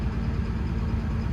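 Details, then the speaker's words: Develon DX225 excavator diesel, oil fine: uneven, lumpy idle with vibration and a tap-tap-tap, black smoke when revved. Rough running traced to a faulty number one injector. "you can just immediately feel there it's a bit unbalanced a bit of a vibration well here another listen yeah I can hear that tap tap tap"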